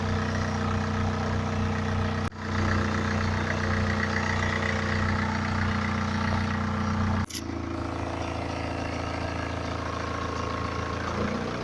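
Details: 2011 BMW 318d, N47 diesel, 178k mileage, fresh oil and belt change, cold engine idling and revving, phone recording: steady low drone with faint mechanical rattle underneath; owner asks if it is the timing chain, unconfirmed.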